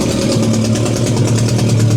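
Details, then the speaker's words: BMW K100 motorcycle after fuel pump replacement, plugs checked, on choke: steady, even, smooth low idle with no knocks or stumbles; injectors now working, possibly previously sticky; normal idle. "so it's idling now on the [Music] choke and the injectors are now working like they should"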